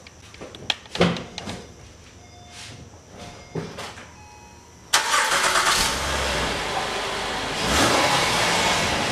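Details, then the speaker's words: 2011 Acura TL just after alternator replacement, start-up to check whether the earlier noise and warning light are gone: brief crank, engine catches and settles into a steady, even idle with no squeal or whine. Normal start and idle. "we did it we replaced the alternator on this 2011 Acura TL it went pretty smoothly"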